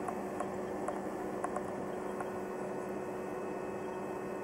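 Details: Electrolux EHH 3920 BOK induction hob heating water on the small zone: a quiet, steady electrical hum with a faint high whine and occasional soft ticks, which is normal operation.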